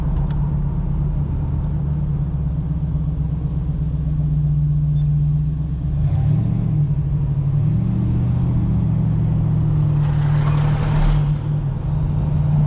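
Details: 1986 Oldsmobile Cutlass 442 V8 with rebuilt eBay Quadrajet carburetor after a cold start having sat a couple of weeks: deep even rumble picks up cleanly on light throttle blips and settles back smoothly; feels more responsive, runs healthy.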